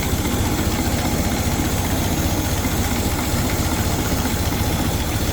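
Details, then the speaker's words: 1924 Ford Model TT C-cab flatbed, 201 cu in inline four-cylinder L-head, idle turned down slightly, hood side open; slow even low thump about four beats a second, steady with no misses or knocks, smooth healthy idle. "like I said this thing purs smooth Runner I could actually turn that idle down just a little bit too no sounds good"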